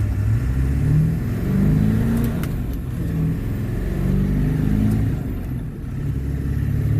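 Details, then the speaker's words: Ford 7.3L Powerstroke diesel manual, idling: heavy low clunk when the clutch pedal is operated, felt and heard from the bell housing area; cause unknown, transmission to be pulled. "Oh, that clunked pretty good. Hear that? That? You can feel it. Yeah. It's like down in there. It's not happy."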